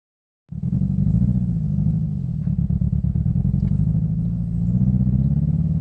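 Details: 2005 Scion xB, 135,000 miles, with power loss: a lumpy, uneven idle with a rhythmic stumble, as if one cylinder is not firing. Solved: a bad coil pack on cylinder 4 stopped that plug from firing.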